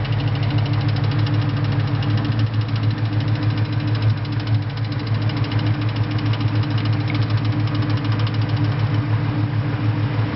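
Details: 2001 Ford Mustang Cobra at idle with a fast, even ticking of about three clicks a second over a deep engine hum; owner suspects the throwout bearing, not confirmed.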